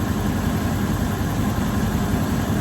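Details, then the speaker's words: 1984 GMC Sierra Classic starting after its new alternator belt was tightened: a steady, even low rumble with no belt squeal or chirp, and the engine idles smoothly; charging confirmed, normal idle. "What? There we go. Fires right up. I'm telling y'all, this is a great truck."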